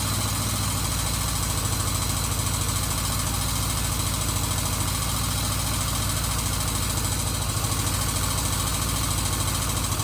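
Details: 1977 Kawasaki Z400 after carburettor rebuild fixing vacuum leaks, warmed up: steady, even idle with a smooth low pulse, no misses or stumbles; carburettors well balanced, running cleanly.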